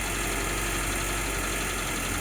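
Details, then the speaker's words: October 1952 Jeep M38A1 on a cold start at half choke, exhaust valves adjusted and exhaust manifold new: steady, even fast idle with no misses, knocks or surging; smooth fast idle before it later surges and dies from a carburetor issue. "Runs pretty smooth and pretty good at that fast idle. I'm about half choke."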